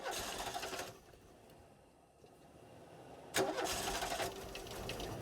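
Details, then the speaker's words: 1989 VW Fox, fuel injected, sat about eight years, cold start with good battery: bursts of cranking with long gaps, engine stumbles briefly without catching; hard starting, owner suspects fuel clog despite new fuel system. "How about now? How about now? How about now? Yeah, this this ain't this ain't going so well. Oh, it tried."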